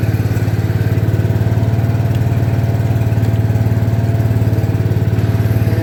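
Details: 1972 John Deere 110 single-cylinder tractor, sat in a barn for years, after new fuel filter and oil: deep, steady thump about 220 beats a minute, even with no misses; runs smoothly.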